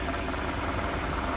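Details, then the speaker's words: 1993 Mercedes 220CE W124 coupe, 2.2 litre M111 petrol, idling after start following ignition lead replacement: an uneven, lumpy pulse with small stumbles, still running rough; new leads did not fix it, cause not found. "buger still don't think's that happy something's not quite right still"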